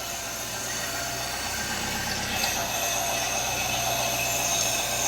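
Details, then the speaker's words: 1989 Citroën CX 2500 GTi petrol, off the road since about 2007, warm idle: steady hissing rush over a soft engine hum near the intake; may just be intake sound, owner plans a smoke test; intake sucking noise. "got a pretty interesting sucking noise over here is it just the intake it sounds like a massive"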